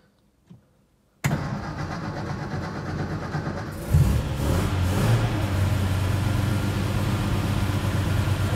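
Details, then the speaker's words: 1954 Armstrong Siddeley Sapphire 346, first start after new points, cleaned carbs, reconditioned starter and fan belt: after a second of quiet it fires straight up, idles evenly and picks up smoothly. It runs clean, the ammeter shows charging, and temperature and oil pressure are rising. "it's alive running very nice and clean too we've got amp charging clock doesn't work yet we've got fuel temperatures climbing oil pressure is coming up"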